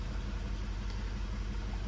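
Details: 2016 Mazda 3 2.2 Skyactiv diesel idling; lumpy uneven shuddering beats, misfire, running very badly.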